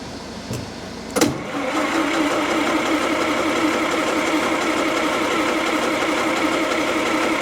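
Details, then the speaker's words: 1929 Austin Heavy 12 vintage engine after its carburettor was cleaned and magneto checked: steady idle with an occasional sharp cough, then settles smoothly; an intermittent misfire, cause unclear. "right coughed has been doing that a little bit"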